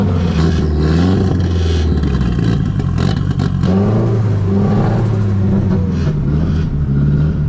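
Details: Nissan S13 drift car with SR20DET, just started after sitting all winter on a Miata jump battery: idles unevenly and hunts with a lumpy stumbling note; rough running blamed on the MAF, much better with a borrowed MAF.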